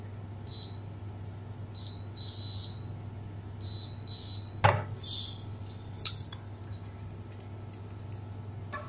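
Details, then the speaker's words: Beko WMB71033S front-load washer control board (no display, clicking): meter beeps on each probe touch, some short, one held, showing the DC/VCC supply rail near two capacitors shorted to ground; short traced to the ATmega64A microcontroller. "hai tụ điện này vẫn có vấn đề gì đó chúng tôi bị đoản mạch trên đường dây nguồn DC"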